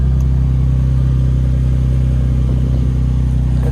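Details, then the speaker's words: Nissan 350Z after oil change, new serpentine belts and temporary stock G35 intake: smooth steady idle with a low even drone, no knocking, no belt squeal; belts may still need tightening; normal idle. "not sure if you can hear anything from that but yeah uh belts didn't squeak that's good"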